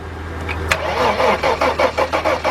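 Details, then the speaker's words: 1997 Mercedes-Benz E320 cranks but will not start; steady starter cranking at four or five beats a second that never catches; preliminary diagnosis finds no pulse while cranking. "now what the car does is cranks but no start I'm going to do a preliminary diagnosing of it"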